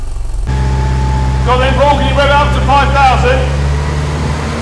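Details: Classic Mini 998 cc automatic after setting valve clearances, held at 5,000 rpm with vacuum hose off: smooth, even high revs with no knocks or misses; 22 degrees timing, ignition timing spot on, healthy engine.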